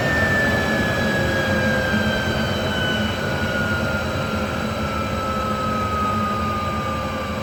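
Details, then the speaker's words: 3-phase 7.5 HP (5.5 kW) regenerative ring blower on a 10 HP VFD set to free-spin to a stop, after debris was cleaned out: clean whine sliding slowly down in pitch as it coasts, smooth with no grinding or rattle; sounds healthy, noise improved. "actually that sounds a lot better now yeah I think we're good that is acceptable"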